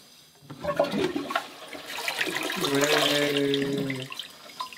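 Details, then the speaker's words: Toilet in a self-built house, first flush on the newly connected mains water. Clean rush as the cistern empties and the bowl clears, then an even refill: normal flush, no leaks. "Chúng tôi xả bồn cầu chỉ nhằm mục đích trình diễn, không làm việc này ở nhà, nước rất quý nhưng nó có tác dụng và chiếc bồn rửa tay nhỏ bên cạnh cũng hoạt động."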